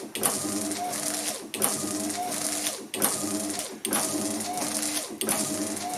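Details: Ford Focus Mk2 wiper motor and linkage retrofitted to a classic Gilbern, run on a battery charger at higher-than-normal voltage: steady motor whir, quick even sweep about every 1.5 seconds; wiper now parks correctly after added loading.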